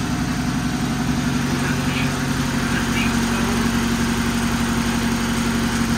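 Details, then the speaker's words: Saab 900 after cleaning the idle air control valve, with vacuum leaks: petrol engine idling fast and steady around 1000 rpm, creeping toward 1200–1500; cause thought to be throttle plate/sensor set too far open. "oh it's right at a thousand slowly going up I think oh it's not like 1200."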